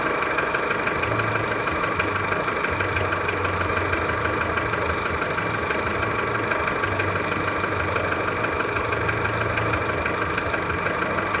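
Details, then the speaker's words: Skoda Fabia 1.4 at cold idle: steady knock about three a second from low in the engine near the timing belt, audible from a distance; dealer calls it normal piston slap, cause unconfirmed. "Его хорошо слышно издалека, когда машину почти не слышно, а стук слышно."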